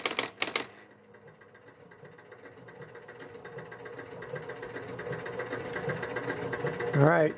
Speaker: so the player unit went around to position zero and then the score motor continued to run and nothing else happened